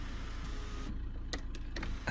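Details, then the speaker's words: Skoda Octavia 1.9 TDI, diesel idling: soft sunroof motor hum with a few light clicks as the roof travels, over a low engine drone; sunroof fully working. "Yeah, the sunroof works. Yeah, it's operational. Oh yeah, there we are, fully working."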